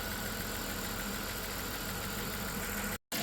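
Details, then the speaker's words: 1997 Dodge Grand Caravan SE petrol V6, abandoned on a farm 4+ years, unknown mileage, first idle after engine and used transmission reinstalled: steady even hum, no knocks or misses, burning off oil; transmission heard sucking, fluid probably low. "listen to it purr it's running burning off a bunch of oil and stuff but it sounds pretty good"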